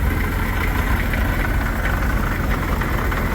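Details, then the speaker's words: 1941 Dodge WC-6 after transmission rebuild with new seals and input bearing: heavy, uneven low idle with a faint light rattle; owner first suspects an engine bearing, then thinks it comes from the straight-cut transmission gears, uncertain. "I hear a little bit of rattling might be from the engine and it does sound like a bearing somewhere"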